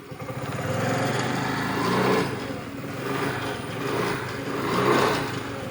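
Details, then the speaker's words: Honda Grazia scooter that kick-started but wouldn't self-start despite new battery, relay and coil; with the two self-switch wires bridged directly, it self-starts, fires and runs with a light buzz rising and falling as blipped; normal. "ఈ రెండు direct చేస్తే మీకు self అవుద్ది అదిగోండి selfie అయితే అయింది"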